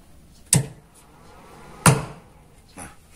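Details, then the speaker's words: Amplifier switch-on: owner reports a thump in the connected speaker at power-on. Two sharp, heavy thumps about a second apart, then a faint third, over quiet hiss. With the speaker disconnected, no thump. "Menurut informasi buat sahabat-sahabat, informasi si pemilik, untuk power ini menimbulkan jeduk di bagian speaker di saat menyalakan."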